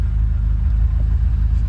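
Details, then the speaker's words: 1980 Ferrari 308 GTSi V8 being recommissioned, low mileage, warmed to temperature, warm-up light off, in neutral after tuning: deep even burble, no ticking or stumble; normal warm idle. "She hit her temp. Warm-up light is off. And she is now in her perfect idle."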